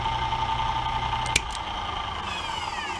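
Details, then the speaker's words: End mill cutting aluminum via a 3D printed jig, reaching the bottom of the cone: steady high singing tone, then a sharp tick and fade; tool engages better, clean cut with much less chatter. "when you get to that bottom of that cone shape it um it starts engaging the tool better and it has a lot less chatter"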